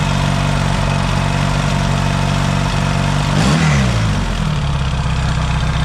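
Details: Yamaha XS650 twin, engine reinstalled, now pretty warm, points still to be properly adjusted: even steady idle, one quick throttle blip returning cleanly to settled idle; no smoke, healthy warm running.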